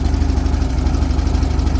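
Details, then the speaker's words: 1978 VW Super Beetle, Bosch L-Jet fuel injection, just restarted after work, generator belt off: low lumpy rough idle with uneven thudding and pops, raw fuel mist blowing. "I don't know if you guys can hear it, too. I can I can see it. It's like popping a bit. blowing essentially raw fuel on my pants."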